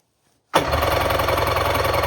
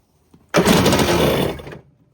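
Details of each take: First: 1994 Kawasaki 550SX stand-up jet ski, said to be freshly rebuilt, on premix with oil put down the cylinders: harsh rattle running in rough bursts, cutting out, belching smoke; owner suspects a popped, leaking water box. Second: 1994 Kawasaki 550SX stand-up jet ski, reed two-stroke, 180 psi both cylinders, spark present: on starting fluid it catches with about a second of rough two-stroke buzz, then dies.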